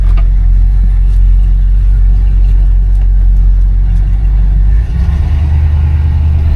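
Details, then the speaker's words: 1973 Buick Centurion with 455 V8 pulling steadily down the road with AC on: deep, smooth rumble, even throttle response, no knocks or misses; normal healthy running. "definitely sounds good. Which most of the cars with the 455, they do actually sound good and they float."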